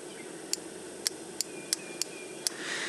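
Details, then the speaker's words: 1997 Toyota Corolla (Geo/Chevy Prizm) base 1.6 L that overheats in traffic: six crisp, evenly spaced clicks as the normally-closed radiator fan relay is refitted and energizes to stop the fan. The relay clicks normally with no chatter. "so now here's something that you might be able to hear if I put the relay back you'll hear it click do you hear"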